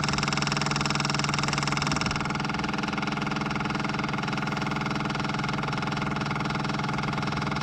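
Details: Caterpillar 259D skid steer, key on with the engine not running, after changing both fuel filters including the inline filter. A steady electric hum pulses about three times a second as the electric fuel priming pump fills the filters.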